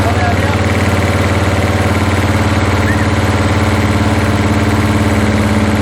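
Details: 1981 Toyota Hilux RN46 4x4 with 18R-C engine, freshly rescued, running off a hand-held fuel can: steady thumping run about three pulses a second with uneven beats and backfiring; owner guesses ignition timing still slightly out.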